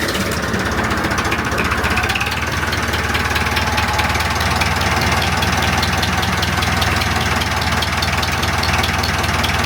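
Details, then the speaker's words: Diesel started from cold with the gauge still showing a fully cold engine, after re-tightening the head cover, before valve adjustment: steady even beat about four firings a second, no knocks or misses, clean idle. "It started well, then the gauge still shows a completely cold engine"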